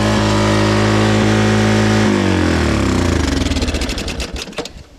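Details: Moto-4 Big Bear 350 four-wheeler after sitting years, new fuel filter, started on starting fluid: fast steady buzzing idle far above normal, then dies and winds down; high idle from a destroyed throttle cable.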